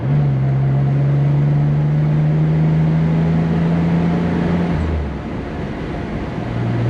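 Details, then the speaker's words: 1964 Corvair convertible, rebuilt engine, accelerating on the road, heard from inside: engine note climbs smoothly for about five seconds, drops on the shift, then pulls cleanly again; healthy engine accelerating. "I don't know if y'all can hear it that good, but it sounded good from in here, so it's not a bad little car, that's for sure."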